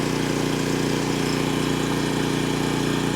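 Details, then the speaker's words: Generator (6-gallon tank) powering the camper air conditioner: steady, even drone with a fast regular beat holding firm as the compressor load comes on. Normal running under load. "There's nothing to it. It doesn't care. It doesn't care."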